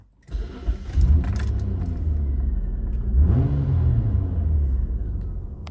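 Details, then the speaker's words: Mitsubishi VRX (Magna), 271,672 km, recorded inside the car with the window up: the engine settles into a deep, farty, flatulent rumble that swells on the rev. The worn original exhaust is rusted through with holes and leaking. "Sounds a little bit farty, doesn't it?"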